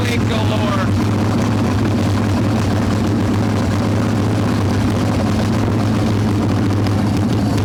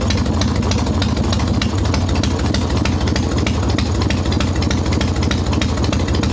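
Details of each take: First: Hot Evo Softail V-twin carb engine with choke plate off and mixture screw about one turn out: loud, lumpy idle that never evens out. Intake air leak found as loose intake bolts and a cracked vacuum cap. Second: Harley Evo Softail V-twin, ice cold, after fixing loose intake bolts, cracked vacuum cap and idle speed screw: even, steady potato-lope idle about three beats a second, no hunting or stumbling, on untuned mixture screw; normal idle.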